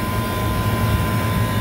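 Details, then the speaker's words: Walk-in cooler condensing unit after replacing bad contactor, compressor and TXV, run for a minute before adding refrigerant. Steady even low drone with faint constant tone, no knocking or rattling; normal compressor running. "want to give it a minute before we add gas we don't want to overload this compressor"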